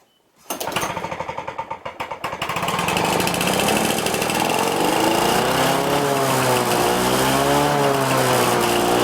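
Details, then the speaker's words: Lawn-Boy Duraforce engine on first start with a new Chinese aftermarket carburetor (float initially sticking): catches after ragged pops, then screams up to a wavering, far-too-high rev and is turned down; overspeeding. "Alright, and that engine's running way too fast, so I turned it down quite a few clicks. Way too fast. If I would have let that come all the way up, the engine would have blown."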